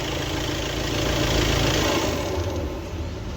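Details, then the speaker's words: Audi Q3 2.0 TDI diesel after cam plate replacement and timing belt work: even idle with steady low rumble, no ticking; earlier knocking and recurring cam/crank position (P0016) timing faults resolved. "Start करो बरोबर है एकदम पूरा silent है पहले टकट टक करके पूरा आवाज मारता था और टाइम ंग का प्रॉब्लम बार-बार आता था और एकदम परफेक्ट है ये एकदम परफेक्ट है"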